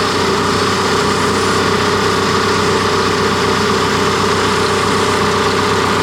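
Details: Cat D3K2 dozer diesel, brought in for rough running, power loss, fluctuating rpm and white smoke, after DPF and DOC serviced and reassembled: steady, even idle with no knocks or misses; normal idle.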